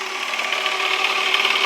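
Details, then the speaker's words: Hyosung SF50 scooter with the wrong, too-light variator rollers fitted, belt sitting right at the bottom of the variator: fast, even buzz with light belt whir; rollers too light, correct rollers needed. "but those rollers are too light so i need to add the rest in there and i need to get the right rollers in there"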